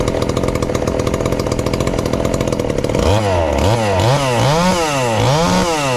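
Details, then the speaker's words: Ported, low-compression 2375 chainsaw (about 140 psi expected) on pump gas before the methanol conversion, recorded as a baseline: rattly two-stroke idle, then repeated throttle blips rising and falling cleanly. Runs normally. "i'm gonna fire it up if it will here today on the pump gas just to maybe have a comparison of how it sounds"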